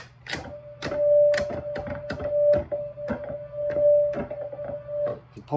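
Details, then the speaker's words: Hammond organ lower-manual drawbar: the steady tone cuts out when the drawbar is pulled fully to the stop at the wrong spot, amid handling clicks; probably a loose spring, to be corrected. "all the way out to the stop and you find just the wrong spot it'll turn off obviously that's not something that you want to find In the Heat of battle when you're playing a solo especially if you only pull one draw bar like I just did so that is going to get corrected um on the the uh and that's probably a loose spring"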